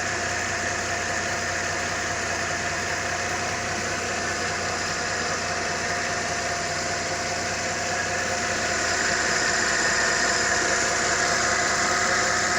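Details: Mercedes-Benz M272 engine, after repair for an engine knock: smooth, even idle with a steady hum that rises slightly near the end, no knocking heard; sounds healthy.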